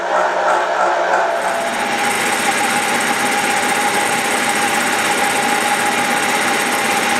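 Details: Milling a vee-block from dense old forklift-tine steel with carbide cutters, an angle cutter and coolant, taking 1 mm cuts: a continuous high-pitched cutting whine with a fast, uneven rattle, louder as cuts deepen. Chatter from a cheap Chinese arbor's runout.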